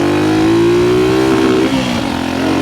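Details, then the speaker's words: 1974 Kawasaki KS125 ridden hard around 40–45 mph: revs climb hard, then note stumbles and roughens near the top, hitting the rev limiter before recovering; breaking up at high rpm. "break up at the top end. Oh, man. Hit the rev limiter."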